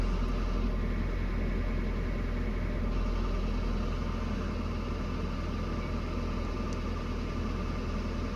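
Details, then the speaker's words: 1992 Nissan 240SX S13 engine, cold, just started after rubber fell into the engine; low, slightly uneven idle pulsing about three beats a second, idling odd, earlier ticking now gone; cause of the rough idle unconfirmed. "I'm so scared. Still is idling kind of odd."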